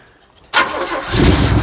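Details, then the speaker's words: 1972 Chevelle sat 5 years, first start attempt on a hot battery: quiet pause, then a sudden catch into a rough, rising run that sounds good briefly before dying; out of gas. "sound sounded good for a second and of course i have no more gas why would i"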